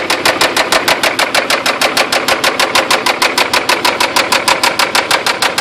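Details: 3rd-gen Toyota 4Runner after being stuck in mud nearly sideways and revved hard; owner suspects lost oil pressure and internal damage: sharp, metallic, very regular knock about twice a second at idle — serious engine knocking, cause unconfirmed.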